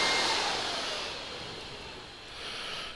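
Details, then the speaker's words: 2009–2014 Yamaha R1, diagnostic mode item 51 radiator fan motor relay test, engine off: airy whoosh of the fan spinning steadily then easing off, no rubbing or ticking; fan relay and fan working normally. "number 51 is the radiator fan motor relay that's actually going to actuate the fan"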